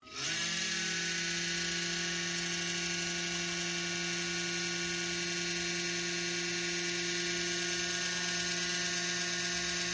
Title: How to repair PC computer motherboard fan making noisy sound?